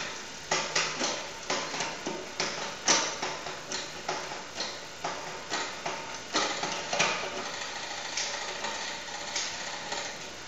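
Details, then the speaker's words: Bicycle rear derailleur after cable tension was adjusted with the barrel adjuster; crisp single clicks shifting cleanly through the gears with no chatter or grinding, indexing set right. "move to the release button and the gear turns smoothly downward side"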